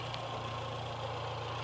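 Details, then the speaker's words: VW A1 with CIS injection, hard starting when cold; low, slightly lumpy idle with faint uneven beat, idle improves when power is applied to the frequency valve's broken ground wire so fuel meters correctly, though roughens as mixture is far out. "yeah here president yeah yeah any Idol improves ever because it's now fuel metering correctly"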